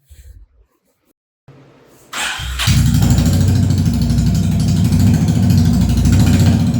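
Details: Honda CB350RS first start after DIY half engine overhaul, muffler not fitted and rocker cover bolts left loose: short crank, then catches and settles into a loud, regular idle; no knocks or rattles, normal start and idle.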